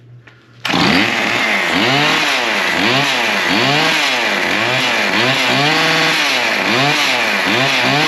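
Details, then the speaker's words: Small two-stroke after repair, with the primer bulb now acting correctly: a high buzzy note swings up and down rhythmically but keeps running on its own. It sounds fine. "that don't sound too bad I think she'll run too"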